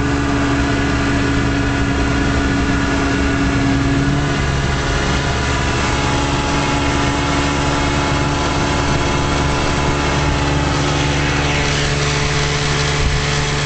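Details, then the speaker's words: 1956 Johnson Javelin RJE-18 30HP two-stroke outboard on 14ft Viking runabout, under way at steady throttle with motor tilted all the way out: loud even drone, no misses, knocks or surging; runs real good. "seems to run real good with the motor tilted all the way out."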